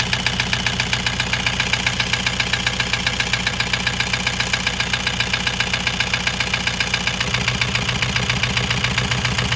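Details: Toyota Hiace 2KD diesel, overhauled about five months earlier, started knocking loudly while driving; injectors tested fine. A loud, hard knock about 220 a minute over the idle, steady and sharp, pointing to piston-to-liner knock with valve clearance clatter.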